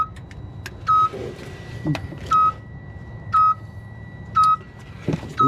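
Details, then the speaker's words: Unknown dash warning alarm on a no-crank, no-start Freightliner Cascadia diesel truck: a clean high beep about once a second, each about a third of a second long, over a quiet cab. "all right so I do not know what that alarm is but let's see"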